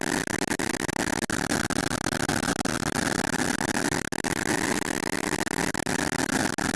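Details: Engine knocking right after refueling: fast, uneven ticking and clatter over a buzzy idle, with sharp knocks every fraction of a second; cause unclear.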